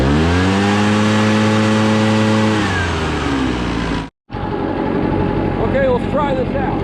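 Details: Barn-find Echo PB650 two-stroke backpack blower, stored 2–7 years, old gas drained and fresh gas added: steady high wail held at full throttle, eases off without stumbling, pulls clean and strong; normal running at full throttle.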